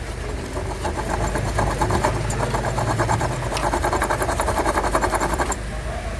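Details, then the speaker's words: Mercedes A-Class at idle, Poly-V belt removed, underneath car: fast, uneven rattling tick about three per second from loose, worn A/C compressor pulley bearing; compressor faulty, alternator also noisy. "Fazendo um grande barulho esse rolamento, tá? Tá com folga."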